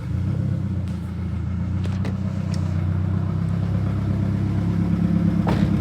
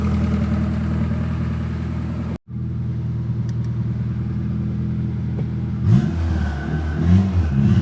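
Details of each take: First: Turbo Honda Accord F23 after replacing a bad coil pack that had caused misfiring at idle and breaking up into VTEC: even, steady low hum with no stumble; normal idle. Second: Turbocharged Honda Accord F23 petrol engine with a bad coil pack: uneven, missing idle that stumbles and wavers when revved; it breaks up entering VTEC, and swapping coil packs between cylinders made the misfire follow the coil.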